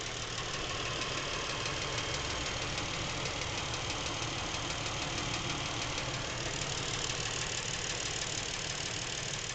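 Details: Lincoln MKX with 7,000 miles, knocking since new and getting worse; faint regular ticking knock about three per second under steady idle, from back of the motor, away from cam phasers and chains; dealer could not hear it, source unclear.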